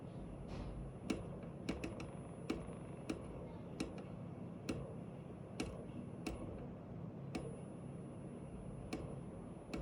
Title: Weird noise coming from one of the actuator